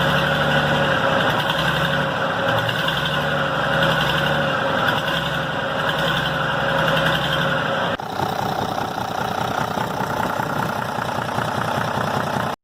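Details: Restored Tata truck diesel, said to be a Benz-derived 1210 engine, cold start; catches quickly and settles into steady even idle clatter with no knocks or misses: normal cold start after engine restoration.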